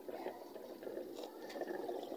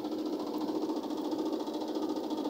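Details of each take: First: Automatic washing machine refilling for rinse after draining and spinning: steady splashing rush of water pouring into the tub, no knocks or grinding. Normal water fill. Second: Automatic washing machine during spin after rinse: steady spin hum with a loose, uneven knock about twice a second; technician says a part is not yet fitted, causing the noise. Knocking during spin from unfitted part.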